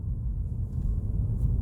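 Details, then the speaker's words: Mercedes E-Class W212 with panoramic sunroof, driving over bumps and a ramp after the headliner was dropped and anti-noise work done: only steady road rumble, with the earlier creaks and ticks from the sunroof gone. "안 나네요 그리고 저희 매장 올라갈 때도 허리가 났었어요 올라가 볼게요 깨끗합니다"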